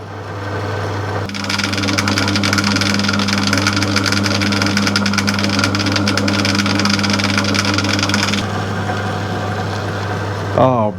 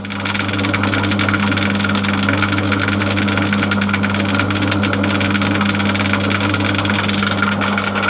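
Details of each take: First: Plugged-in motor after refitting the belt and clearing loose items that caused rattles. Steady, even low hum with no rattle or knock, then a clean spin-down: the rattle is gone and the motor runs healthy. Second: Old-fashioned motor running with steady hum and faint irregular internal clatter while drive side is quiet; owner suspects something has come adrift inside the motor and may damage the armature, motor to be dismantled to find the rattle.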